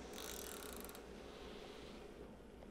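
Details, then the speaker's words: Home treadmill after adjusting belt alignment, belt previously running too far left and rubbing plastic side trim: brief scraping hiss falls away to low even running hum, no rubbing; belt now tracks centrally. "straightaway you can hear that it's gone quiet or quieter which is indicating that the face of the belt here has stopped rubbing on the inside of the edge of this plastic trim here"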